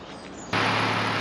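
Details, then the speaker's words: Volvo V70 P80 2.4 10V, 124k miles, first start after cambelt and tensioner replacement with Gates kit: engine catches at once and idles smoothly with no ticking, slapping or whirring from the belt area; timing correct, normal running. "We've gone for the dreaded first start after doing the Cambelt, and as you can hear, it is running perfectly fine."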